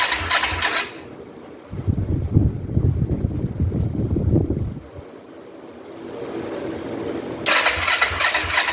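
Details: 2004 Kawasaki Vulcan 500 stored two or three years, petcock on prime after float bowl reassembly, choke applied: starter churns unevenly for about three seconds and slows, engine never catches; cranks but will not start.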